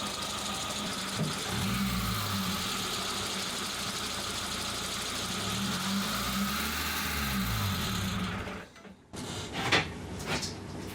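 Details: Suzuki Samurai petrol engine idling evenly after fuel pressure regulator replacement (old one leaked fuel into vacuum line, causing hard warm starts and bad idle); steady, no stumble or hunting, only light normal valve chatter; idle now normal.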